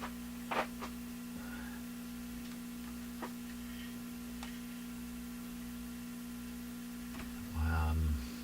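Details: Addison 5-tube classic radio after basic restoration: constant low steady mains hum, unchanging, source in the power supply not yet found; chassis voltage readings unexpected.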